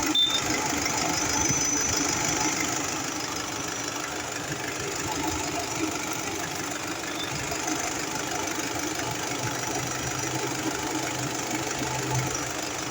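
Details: Honda City engine at steady idle: faint, loosely regular knock of about three beats a second over the hiss; knocking noise, source not pinned down.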